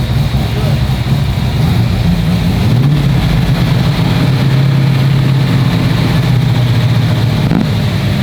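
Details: Abandoned GT40 V8 first running after 21 years with new ITBs and transmission, engine still cold: once it catches it settles into a steady, even, low rumble with no misses or stumbles; healthy idle.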